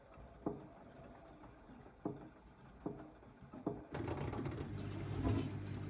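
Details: AEG 8000 washing machine at low drum speed: single hollow thumps about every second, then wash swish takes over; 90% during counter-clockwise rotation, gone at higher rpm; detergent cup ruled out by removal. Something knocking inside the drum.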